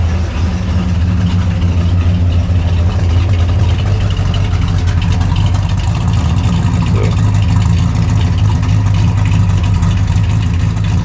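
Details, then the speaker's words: 1968 Pontiac GTO Ram Air II big-cam V8, warm idle after idle speed, mixture and timing adjustment, vacuum about 13–14.5; deep steady lope with even rolling beat and mild vibration, normal healthy cam idle. "engine idles pretty steady but it's got a little the vibration to it"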